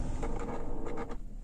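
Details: Car with automatic climate control, just after engine shutdown: faint whirring motor for about a second, then stops cleanly; normal climate flap actuator movement, not a fault.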